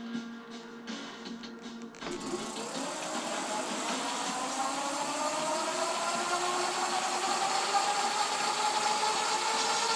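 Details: E-bike hub motor with KT 30 amp controller swapped in for a 23 amp unit: smooth whine rising steadily in pitch, partly under music; hub motor running normally.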